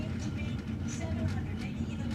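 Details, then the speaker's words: Speed Queen SC40BC washer: the drum turns with a heavy, uneven low rumble and rubbing vibration from a worn main bearing; the whole trunnion needs replacing. "Kind of hear the rubbing and vibration there. So actually, we got to change out this whole part here, this whole trunnion."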